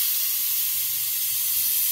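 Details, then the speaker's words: Four Uncles vacuum brake bleeder tool with the lever held down: steady, sharp venturi air hiss with no sputter or flutter while it pulls brake fluid out; normal operation. "now the one thing i've noticed about this tool is it does like to have just a little bit of air going through it"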